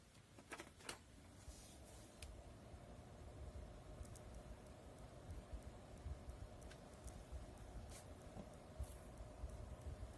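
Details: 1500 rpm PC case fan powered directly from the PSU without resistor, running at full speed: steady airy whoosh with faint constant mid-pitched hum, before fitting 27 or 56 ohm resistors to quiet it.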